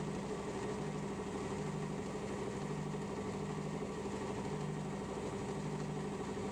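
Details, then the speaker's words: Lathe running while machining a new hydraulic cylinder top end: steady dull thump about twice a second over the running hum, a "glun glun" knocking because the drive belt has separated. "I know if you can hear that knocking I'll just start the L and turn it off again you'll hear it g glun glun um just going to try and get this Dimension finished and then pull up cuz the belts decided to separate"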